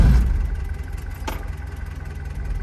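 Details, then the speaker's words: 1974 Ford Courier, 56,000 miles, Hitachi carb, factory electric fuel pump: cold start with a little choke settles into a low soft idle with slight waver; starts at the key, runs fine cold. "that's pretty good when it's cold it likes to have a little bit of Choke until it warms up but it does start at the turn of the key"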